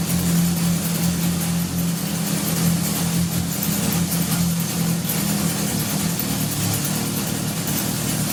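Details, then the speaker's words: 1978 Honda CB750 engine on a stand, likely first run in over 10 years, after idle adjustment; an even, steady four-cylinder idle with a smooth low hum. All four exhaust pipes are hot, so all cylinders are firing. Normal running. "I'm just checking each of these exhaust pipes I just see if they're hot and they are so that means all four cylinders were firing as well"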